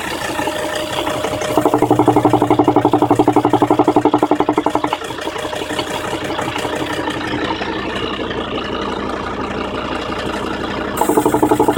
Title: 2003 Volvo V70 D5 engine popping noise (vacuum/engine mount issue)